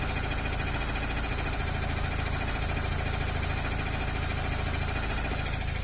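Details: Chevrolet Corsa hatch at idle: constant rough whirring rattle about three per second; owner suspects water pump, tensioner or accessory pulley bearing.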